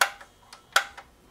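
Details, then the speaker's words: HP 3466A multimeter under repair, in volts mode: sharp relay clicks in pairs about every three quarters of a second as it keeps auto-ranging; quiets when the range is changed manually. "oh there we go well changed the range and it quieted down autumn uh yeah i hear it now so it's all trying to auto range"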